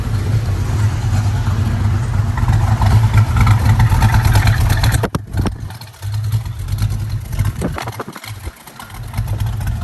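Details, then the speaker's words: 1967 Ford Mustang rebuilt 289 V8, C4 automatic, fresh aluminum intake, dual exhaust, 51,385 miles, at idle: deep steady burble, even and unbroken apart from a door being handled; healthy engine. "Fresh aluminum intake as well. Sounds good. This baby wants to go."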